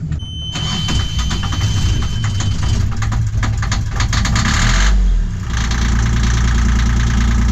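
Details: Yanmar marine diesel on a boat started after finding a fuel leak, cleaning, reassembly and fitting a fuel filter; starter cranks briefly, catches and settles to a steady even low idle knock, starts and runs fine.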